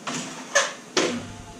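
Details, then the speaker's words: Screen sliding door that was noisy and stiff to pull from daily use, after greasing the rails: two short, soft rolling swishes with no squeak, scrape or catch; the door now slides smoothly. "Ayan oh ' ba ganda walang kasabitabit walang kasabitsabit"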